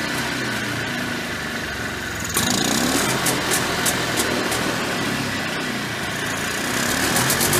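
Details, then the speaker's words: Early-1990s Polaris Trail Boss 250 two-stroke with clean carburetor: buzzy revs hang high after the throttle is released. Owner suspects an air leak from bad crankcase seals behind the flywheel or clutch. "You could see when I let off the throttle, you could hear it kind of wind out. I'm pretty sure it's got an air leak."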